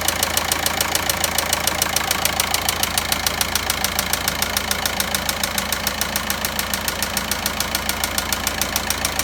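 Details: VW Passat 1.9 engine at idle: sharp, very regular knocking about three and a half per second over the engine note; cause of the knock not determined.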